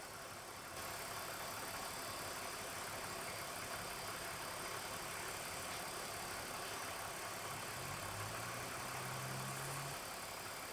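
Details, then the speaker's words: 2001 BMW E46 AC recharge after replacing compressor, condenser, drier and expansion valve, engine idling: steady refrigerant hiss over even idle, no compressor knock or rattle; compressor pumping as high-side pressure rises. "Alright. This means that our compressor is actually pumping."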